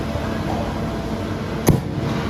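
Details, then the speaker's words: Injection molding machine hydraulic motor: steady hum broken by a sharp jerk/thump between injection and refilling stages; suspected cause excessive holding (hold-on) pressure setting. "ये ये एक jerk हो रहा है hydro motor में।"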